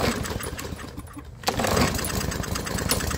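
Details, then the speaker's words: Murray single-cylinder lawnmower that wouldn't run and made a terrible sound, now idling steadily but a bit slow; idle set slightly low, carburetor running okay. "well as you can hear the idle is just a tiny bit low uh but the carburetor seems to be running okay honestly"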